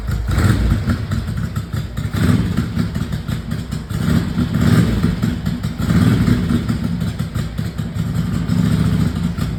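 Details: 1982 Ducati 900SS big twin, first start after 15 years sitting and a carburettor rebuild, kick-started after tickling the carbs: lopes along at idle with an uneven, loping beat and some clatter, running on its own.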